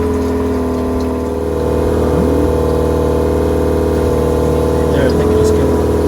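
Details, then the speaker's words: Boat shower sump pump (500 gallon per hour), just replaced with a spare: a steady low hum with a few even tones, level throughout with no rattle or grinding, water seen moving, the pump running normally. "I heard it come on, and I can also see disturbance down there."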